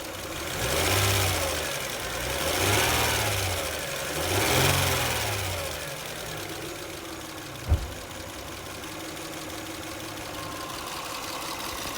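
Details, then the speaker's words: 2003 Lexus ES300 V6 blipped three times then idling with a fast, light click-click valvetrain tick; lifter noise, stuck or collapsed lifter. "You can kind of hear that click, click, click, click, click, click, click noise."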